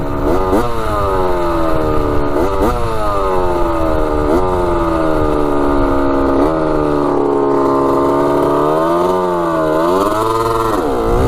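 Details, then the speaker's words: Rebuilt 1985 Yamaha YZ80 two-stroke dirt bike riding warm, starts first kick: crisp wail climbs and drops cleanly through each gear change, no misfires or rattles. Smokes from the exhaust, silencer not working great, front sprocket worn; runs healthily. "she's a little ripper sounds so good yeah she's sounding pretty good"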